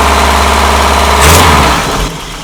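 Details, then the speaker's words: Mazda truck with Weber carburetor and mechanical fuel pump, after adding an electric priming pump with check valves to fix long cranking after sitting; starts right up on the mechanical pump, oil pressure good, steady even low-rumble idle, no misses or knocks; normal idle. "and there it is it starts right up your oil pressure is good"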